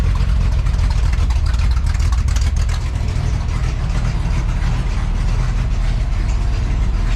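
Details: 1966 Chevrolet C10 with a newly built and welded exhaust system, first startup after install: deep, loud, even exhaust burble at steady idle with no ticks, leaks or misfires; normal idle.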